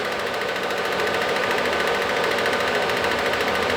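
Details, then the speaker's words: Bobcat 371 with a swapped-in Kubota diesel, key on and engine off, glow plugs and fuel shutoff energized. The electric cooling fan gives a steady airy whoosh and the fuel pump a fast, even buzz, both running normally. "You're going to hear the cooling fan come on and the fuel pump. There's the pump, there's the fan."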